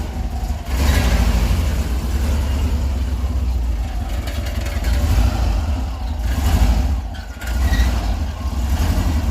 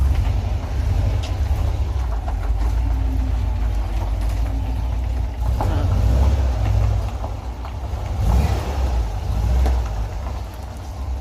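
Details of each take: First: Kombi motorhome exhaust: deep, rough rumble with uneven thumps and pops, banging underneath because both mufflers are broken; the two mufflers are to be replaced. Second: VW Kombi motorhome after muffler replacement: deep, steady engine rumble rising with revs, no banging; the pan-like banging from the old muffler hitting underneath has stopped.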